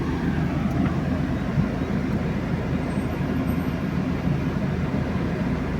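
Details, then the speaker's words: UAZ Patriot driving over potholed roads in Murmansk: steady low rumble with a loose, uneven rattle; gearbox rattles and the shift lever moves and knocks. Owner unsure of the cause, plans sound and vibration insulation. "Едешь, коробка дребезжит. Может, кто-нибудь знает, сталкивался, подскажите, как это вот заглушить это. Шумку-то я буду делать, вибрацию буду делать, но вот этот рычаг ходит, стучит."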